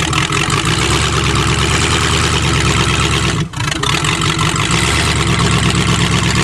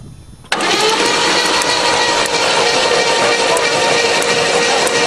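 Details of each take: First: Previously hydrolocked engine started on choke, with some plugs still wet: it holds a steady, even-firing idle with a deep low rumble and no knocks or misses. Running normally. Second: Hydrolocked Chevrolet engine cranked with spark plugs removed and throttle held open to expel water: fast even starter whirr with no compression pulses, sharp spark ticks; battery running down.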